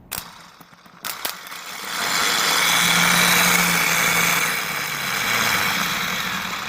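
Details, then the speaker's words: Old starter motor from a 2000 Ford F-250 5.4L spun free on the bench: coarse, uneven rasp over a steady hum; worn starter with a serious clunk and broken plugs, replaced by a rebuilt Motorcraft unit. "The plugs on the other one had broken off, and when the old one had a serious clunk in it, and this one does not."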